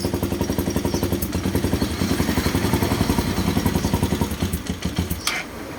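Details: Ryuka Infinity RK125 single-cylinder after a no-spark fault was fixed by fitting an adapted Honda-plug CDI box and running one spark plug: an even putter at about four beats a second, firing cleanly and running normally.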